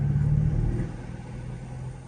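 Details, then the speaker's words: 2011 Mercedes-Benz GL450 4Matic V8 accelerating: deep even engine drone swells and settles smoothly, no knocking, ticking or grinding; earlier forward clicking thought suspension, not engine. "See, as I'm accelerating right now, it's doing just fine, no noises."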